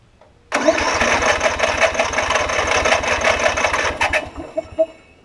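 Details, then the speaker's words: Newer Snapper RER rear-engine mower with auto choke, old fuel: starter churns about four seconds with no firing; cranks but no start, suspected no fuel delivery, possibly bad gas, water or a clogged carb jet, not confirmed. "so it's not getting anything let me uh pull the plug and let me see what that condition looks like it may have a little bit of water in it am i just having some bad gas who knows uh probably a clogged jet"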